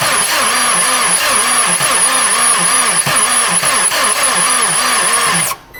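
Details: 2000 Honda Insight running: wavering whir rising and falling about three to four times a second over the engine, from the accessory drive, water pump suspected; cyclic whirring noise.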